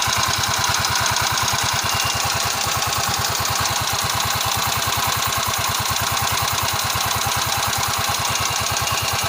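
Sharp, fast, evenly spaced ticking over a small engine idle, keeping time with the engine; classic top-end valve tick.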